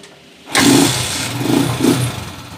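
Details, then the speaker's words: Honda TMX155 motorcycle after repair: engine catches cleanly first try and settles into a smooth, even, quieter idle, no longer hiccuping; healthy start. "Ayan na yung andar niya ngayon mga may Menor na at hindi na rin sinisinok sininok"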